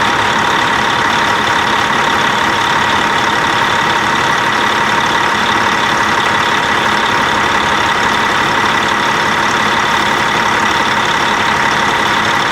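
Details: Twin-turbo Cat C15 truck diesel after oil-leak repair with a new freeze plug, EGR cooler refitted and fresh oil and coolant: loud, steady, even idle with no rise or fall and no stray knocks; healthy idle.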